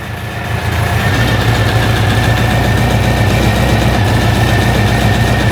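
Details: 1956 Volkswagen Beetle oval window rag-top air-cooled flat-four, Weber carburettors, after fitting a fuel pressure regulator and gauge: even, steady idle with a smooth quick chuff and no misses, fuel pressure steady; running normally.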